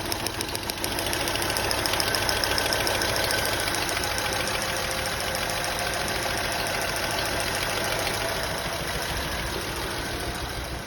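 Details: Honda Accord petrol V6 idling roughly with an uneven beat; misfires on cylinders 4, 5 and 6.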